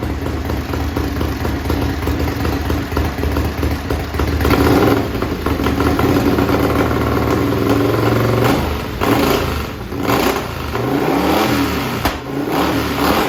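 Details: Racing lawn mower twin-cylinder engine on methanol, cold-started with carburetor cleaner sprayed in as it starts hard: loud crisp start, uneven idle, then clean revs up and down to about 9,400–9,500 rpm; healthy.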